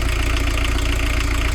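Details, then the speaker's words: VW camper diesel van, heavy, at idle during a final leak check after the fueling screw was backed off; previously very smoky when driven. Steady, even clatter with no misses or knocks; sounding alright, normal idle. "I think she's sounding alright, yeah. Shouldn't be too smoky, but you find that it was very smoky when you were driving it."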